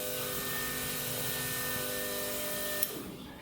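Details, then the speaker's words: LS-swapped turbo Ford Ranger getting dual Walbro 450 lph fuel pumps, pump relay jumped to battery positive, fuel line draining into a can: steady high electric hum with constant tone for almost three seconds, then cuts off; pump running normally. "I'm just gonna put it on the battery positive and then you'll hear it engage here the fuel pump running"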